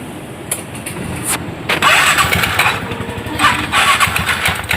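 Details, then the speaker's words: TVS Ntorq scooter after CVT clutch cleaning and refit, cover off: engine fires and revs in short bursts, belt tension neither too tight nor loose, no judder or rattle; clutch working properly. "हमने start किया आप देख सकते belt जो है ज्यादा tight भी नहीं है और ज्यादा लूज भी नहीं है अपने पोजीशन में जो है दोस्तों आ चुका है और क्लच हमारा प्रॉपर वर्किंग हो रहा है"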